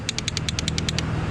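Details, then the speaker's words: Mercury 25 hp four-stroke outboard, battery connected, electric start attempt: starter only clicks rapidly, about ten sharp metallic clicks a second, no cranking; meter later shows no voltage reaching the starter; reported also to have no spark. "i have the battery hooked up and i'm going to try to turn it over i'll show you guys what it sounds like it just clicks"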